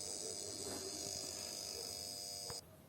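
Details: Grunhelm oven that won't switch on or shuts off, top cover off: thin steady high-pitched buzz from the control board that cuts off abruptly.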